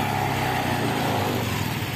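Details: Honda automatic scooter idling after throttle body service and ECU/TPS reset, steady even putter with no misses or hunting; started straight away and runs clean.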